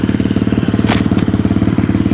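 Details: SSR bike after carburetor rebuild: a quick, even thumping of about ten beats a second holds steady with no misses or rattles, a clean, healthy single-cylinder idle. Normal idle.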